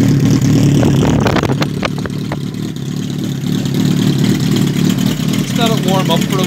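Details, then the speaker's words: 2005 Kawasaki ZRX 1200R four-cylinder, first start after rebuild with Yoshimura TMR-MJN flatslide carbs, warming up: steady low even burble at idle with no knocks or misses; started easily, runs healthy. "i'm glad it started so easily without any difficulty at all give it a wee club be oh always great to hear a bike going"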